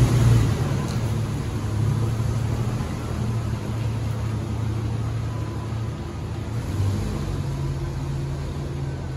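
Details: 1994 Jeep YJ, first road test after fuel pump and ECU repair restored spark: deep, even engine rumble rising and falling gently with light throttle in first and second gear, not driven fast; no knocks or misses, runs and drives well.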